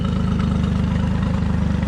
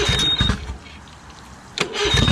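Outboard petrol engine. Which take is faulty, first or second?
second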